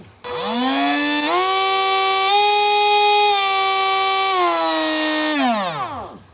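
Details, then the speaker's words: DC motor on a VNH2SP30-E dual H-bridge motor driver board: clean motor whine rising and falling in steps as speed changes, stopping, then spinning up the other way; variable speed in both directions runs smoothly. "Okay, so here I have one motor hooked up here, and it is variable speed, 2 directions."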